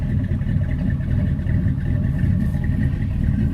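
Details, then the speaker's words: Old rusty truck on a cold start in a Central Florida January: deep, uneven loping idle with no knocks. This comes from a cheap Summit cam combined with closed-chamber heads that raised the compression. "a little funk to it but the only reason it sounds like that is because I put them close chamber heads on this thing"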